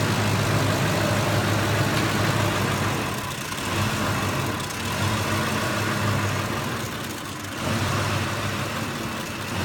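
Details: 2004–2008-type Ford F-150 (2005) 5.4 Triton V8: idle surges and sags unevenly, nearly dying, then dies; fuel pump driver module above the spare tire had its housing corroded off, exposed circuit board likely wet and shorting after rainy weather on gravel roads.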